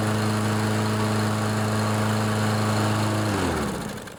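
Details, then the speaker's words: Briggs & Stratton 7.25 163cc OHV EX engine on a Toro push mower after head gasket replacement: steady, even single-cylinder drone with no misses or puffing, then shuts off and coasts down; runs healthy. "No more huffing and puffing."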